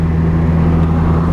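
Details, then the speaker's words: Toyota Paseo with automatic transmission just reinstalled and fluids topped off, first drive: steady low engine drone, smooth even pull, no slipping, flare or clunk, idling about 1500 rpm; normal automatic shifting, unexplained smoke noted. "Oh, there it goes. Wow, it's shifting good."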